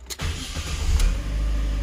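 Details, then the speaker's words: Fiat (Fire/Evo engine) that had turned the key without cranking, right after a new starter motor was installed. A quick crank catches at once and settles into a steady, even idle. Normal engine start after starter replacement. "agora tá tudo certo agora tá funcionando legal tá dando partida normal"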